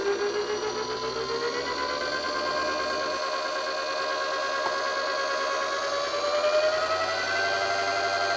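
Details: DC brushed motor driven by a 250 W PWM speed controller (9-50 V) at 12 V: a thin electronic whine climbs smoothly in pitch as the motor speeds up; this is normal PWM switching-frequency whine that depends on controller design.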